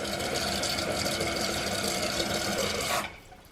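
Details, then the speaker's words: Toilet after replacing the fill valve and supply line: steady rushing fill that reaches the fill line in about 55 seconds, then cuts off cleanly with no hiss or trickle, so the fill valve shuts off properly. "so now it fills in about 55 seconds or so right to the line it needs to the toilet water level is at the right height"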